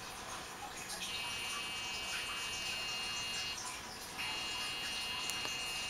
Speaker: oh what is the computer supposed to make this noise